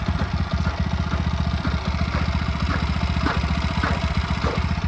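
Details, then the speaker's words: TVS Apache RTR 200 4V with engine light on: faint light tick-tick over thumping single-cylinder idle, from the top of the engine; owner says it grows much louder after riding a while, cause unknown. "और यह ऊपर side से आ रही है थोड़ी टिक टिक टिक टिक टिक करके मतलब ऐसा ही कुछ है"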